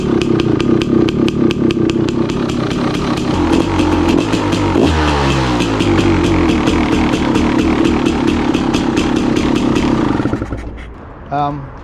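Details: 2016 KTM 300 XCW two-stroke, cold, choke off, after installing new starter on charged Tusk lithium battery: brisk, regular cranking catches and runs as crisp two-stroke rattle before shutting off; starter spins it well.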